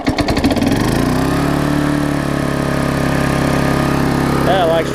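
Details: Old Vulcan 18-inch mower, rusted flywheel freed from magneto, new intake pipe, pressurised gas tank: catches after a few pulls, then smooth steady buzz at full throttle, no hunting or misfire; normal running.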